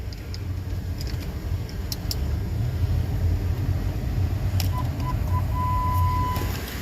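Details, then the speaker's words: 2004 Lincoln Navigator V8 just started after 5/8 coolant hose replacement and about 2 gallons of antifreeze refill, not yet at operating temperature: deep, even rumble, no stumbles, brief dash chime; running good, not misfiring, normal idle. "It's running good. Ain't misfiring."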